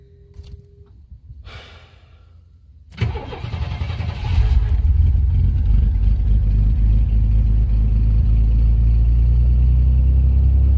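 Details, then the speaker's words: 1994 GMC Jimmy 4x4 4.3 V6 CPI, 191,000 miles, sat 6 years, new idle air control valve, TPS, MAP sensor, EGR valve and coil: quiet cranking, clean catch, steady idle lifting slightly; normal cold start and fast idle. "Hey, it's idling up. Didn't used to do that before."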